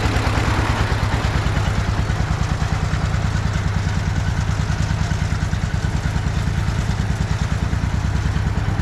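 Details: Russian DT-14 tractor from the 1960s, single-cylinder diesel, hand-crank started cold after 10 years unused: slow, even chugging, each beat firm and regular at idle; normal idle.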